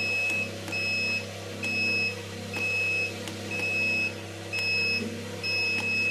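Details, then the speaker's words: Homemade egg incubator with three hatching trays, door opened: high-pitched beeps repeating about once a second over a low hum; alarm sounding because humidity dropped. "یہ آواز آپ کو آ رہی ہوگی، یہ باہر سے کھولا ہوا نا، میں نمی اس کی کم ہو گئی ہے، اس لیے اس کا الارم بج"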